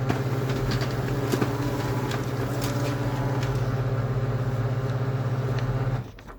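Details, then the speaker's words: Kyocera P3145dn laser printer after the Z128R 302L231040 gear was replaced and the unit reassembled: an even, low, quiet hum with no crackle or squeal, so printing is normal. "Ну всё, принт работает тихо, всё отлично."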